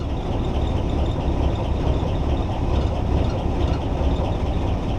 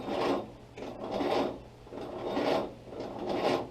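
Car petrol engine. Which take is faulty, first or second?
second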